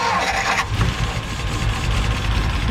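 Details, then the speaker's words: 1957 Ford Fairlane 500 V8 started after 30+ years sitting, with a new ballast resistor fitting the ignition issue: steady, slightly lumpy low idle with no stumbling; ignition works again. "listen to that thing run all right we know the resistor works"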